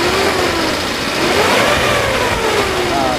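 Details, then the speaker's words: 2005 Suzuki Carry Futura pickup, used, checked at idle then revved: engine picks up smoothly and settles, steady idle without missing, no metallic knocks or rattles, no white exhaust smoke; healthy engine. "kita geber pun dia masih suaranya masih enak jadi nggak ada suara-suara aneh-aneh kayak metal gitu lah ya"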